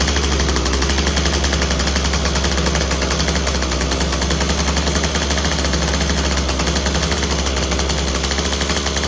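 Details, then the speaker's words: Craftsman WC 210 two-stroke after replacing its broken electric starter: loud, raspy buzz at high speed with an uneven, stumbling edge. It runs but rough and needs more carb tuning; it ran great before. Cause suspected, not confirmed. "Well, sounds like we got a little bit more tuning to do."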